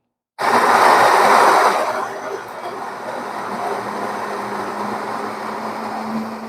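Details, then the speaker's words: Grinder for Oster Expert Perfect Brew espresso: loud gritty grinding for about a second and a half, then a thinner, hollow steady hum, the new sound showing the grinder has run empty of beans. "Viram? Essa mudança aqui, esse barulho novo, significa que ele já está vazio."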